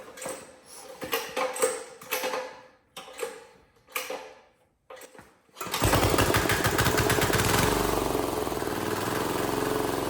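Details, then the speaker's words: Cheap Chinese diesel swapped into a Wheel Horse 314H tractor, fuel primed after a no-start diagnosis: a few uneven cranking bursts, then it catches and settles into a steady, even clatter; normal running. "hell yeah man has this thing been a struggle I'm so glad to hear that thing run"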